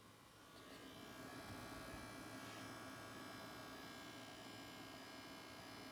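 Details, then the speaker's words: Sony PlayStation 5 making a loud chainsaw-like electrical buzz with faint whine from the bottom rear, not the fan, audible from 8 feet and worsening; suspected coil whine, not confirmed; console was returned. "So right, guys, as you can see, that's a pretty loud noise. And it's, as you can see, it was like a chainsaw type of noise. And a lot of people are saying that's basically coil whine."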